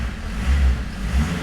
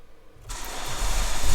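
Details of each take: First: Peugeot diesel with long-term hard starting, after restart, running on engine oil and a bit smoky: revs rise and fall crisply on blips without hesitation or misfire; throttle response much better than before. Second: Peugeot diesel that starts rough despite new glow plugs and now only starts on easy start, fuel pump suspected: after a squirt of easy start, brief cranking, catches and surges loudly about two seconds before dying.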